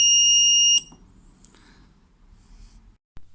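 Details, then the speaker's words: Homemade voltage safety circuit prototype under test, threshold set at 362 V: voltage raised from 350 V, trips at 360 V and cuts the supply; loud shrill steady buzz under a second then near silence; overvoltage trip alarm, circuit working. "ok a 360 è scattato quindi il circuito funziona perfettamente a parte questo rumore"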